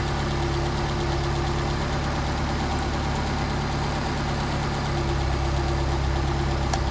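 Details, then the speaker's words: Rebuilt Solex carburetors without machine work, after correcting throttle linkage that held idle at 850–900: steady, even low idle back at about 800 rpm with no misses or hunting; running smoothly. "we're running back at 800 now so you can see how critical get the throttle linkage setup"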